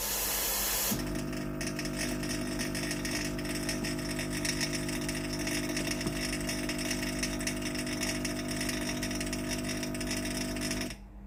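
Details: Philips PSG8160 steam iron after fixing no-steam fault caused by faulty heating element/boiler: steady even rush of steam with faint pump hum for ten seconds, cuts off cleanly; steam delivery normal.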